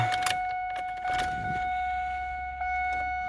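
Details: Chevrolet Venture: keys rattle and a steady warning chime sounds but turning the key brings no starter whirr or click; battery terminals, ignition fuse and relay checked, starter tapping suggested: no crank when key turned.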